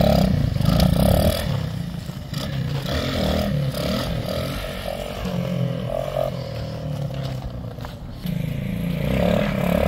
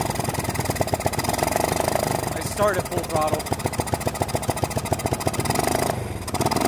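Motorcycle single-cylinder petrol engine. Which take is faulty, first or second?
second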